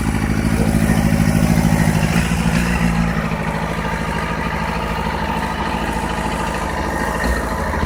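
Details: 2008 Yamaha FZ6 four-cylinder motorcycle rough idle: low, uneven pulse that sags and wavers instead of holding steady.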